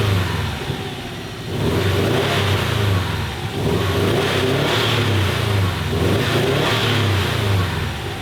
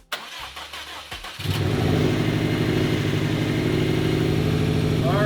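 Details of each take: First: 2015 Subaru WRX STI EJ257 boxer, first start after engine rebuild (coolant-in-oil problem): revving lumpy and uneven as a cylinder misfires, no coolant leaking yet. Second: 2015 Subaru WRX STI EJ257 after engine rebuild: cranks briefly, fires and settles into a steady even idle with a deep uniform rumble; sounds healthy.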